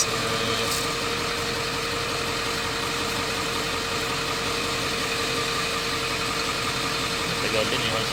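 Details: Ford F450 7.3L diesel that cranked but would not start, fault traced to the CMP sensor, now running; steady, even clatter at idle, no stumbles or dropouts: normal idle.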